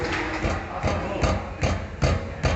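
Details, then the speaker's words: 2012 Toyota Corolla with a noise while driving and no suspension play found: dull, regular metallic knocks about 2.5 per second as the brake caliper is rocked by hand, from worn, loose caliper slide pins; genuine pins are planned. "andando com o carro fazendo um diagnóstico a gente pegou uma uma folga nos pinos do freio aqui ó"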